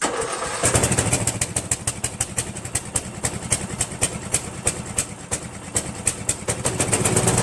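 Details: Craftsman push mower, 158cc Briggs, after carb clean, new diaphragm gasket and fabricated replacement throttle governor spring (missing spring caused no-start): catches after short pull, steady thumping idle about three beats a second; normal.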